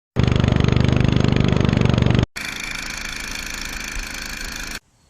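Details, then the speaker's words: Craftsman LT2000 19.5HP lawn tractor twin engine before valve lash adjustment; fast, sharp ticking keeping time with the engine from loose valves/rocker arms, clicking at front. "Today I'm going to be working on the valve lash, because when the engine is running, there's clicking, you know, lifter sounds."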